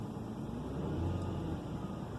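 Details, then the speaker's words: 2005 Hyundai Santa Fe 2.7L after idle control valve replacement and throttle body cleaning: smooth, even hum that swells with a throttle blip and settles back cleanly. Revs rise and fall normally; repair successful. "going up and down like normal it's running real good so I'd say this is a success"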